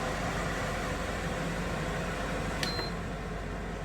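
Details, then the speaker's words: APA 10-litre 85 W air cooler on high fan speed: strong, steady, even rush of air with no rattles or scraping; fan running normally on its highest setting. "Jadi kita coba dari high. Nah, ini udaranya sangat kencang ya, kedengaran di kamera."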